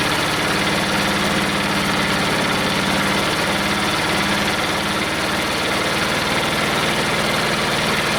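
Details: Detroit Diesel two-stroke in a cheap, long-sat dozer (one cylinder was full of water) runs on only 2 of 4 cylinders; compression 150, 90, 0, 0. Lumpy, uneven loping idle with missing firing pulses; two cylinders dead.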